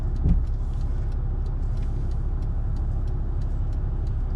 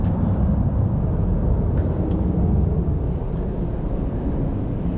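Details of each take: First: 1991 Mercedes-Benz 420SEL V8 idling while driving: low, even engine hum with steady loudness and no knocks or misses, engine mounts good; smooth normal idle. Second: 1991 Mercedes-Benz 420SEL V8 with deep, steady rumble and rough throaty edge from a small exhaust leak through the resonators.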